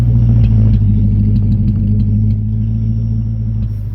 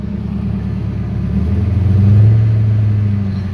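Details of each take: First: Car with a BBK mid pipe and MBRP cat-back exhaust, at start: a deep exhaust rumble with an uneven stumbling beat as a cylinder drops out. Engine misfire; owner suspects dirty fuel injectors. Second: Car with BBK mid pipe, MBRP cat-back mufflers and tips, shorty headers, exhaust refitted by owner after shop left mid pipe touching ground, engine cold: deep even idle burble swelling on a light blip, no rattles or leak ticking; sounds healthy.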